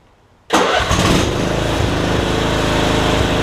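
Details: MTD Yard Machines rider that had no power at the key, after bending back a severely bent blade lever so it closes the safety switch: silence, then engine catches at once and settles into steady even idle, charging battery; normal start.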